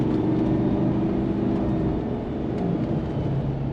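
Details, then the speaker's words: 2015 Chevy Silverado 2500HD LML Duramax diesel on a test drive after CP4 pump replacement, fuel filter change, fuel line flush and tank cleaning: steady, even diesel drone with road noise, no knocks or misses; runs great. "but seems to run great"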